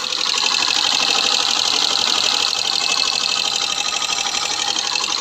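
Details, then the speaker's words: Hero Passion Pro BS6 bike before half engine rebuild: busy, rapid, uneven ticking clatter about four beats a second over a high-pitched idle; engine noise problem with sluggish pickup, to be fixed by the engine work. "इसकी जो काम होगा वो engine की जो noise problem है इस noise problem को हम बिल्कुल सही करेंगे न्यू जैसा आवाज करेंगे"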